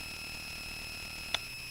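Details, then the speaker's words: A constant high-pitched whine with faint hiss and one click comes from the Touchboard audio board's speaker, worse while voice audio plays; cause unclear. "all right you can hear the noise it gets even worse she when she talks"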